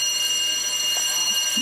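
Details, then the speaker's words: 1924 Alexanderson alternator SAQ at Grimeton, startup with main power connected: continuous high ringing alarm bell signalling no cooling water or oil pressure to the alternator bearings yet; cooling pumps to be started. "You can hear an alarm bell ringing, and Jan-Åke temporarily switched off the alarm bell. It says that we have no cooling water or oil pressure to the alternator bearings."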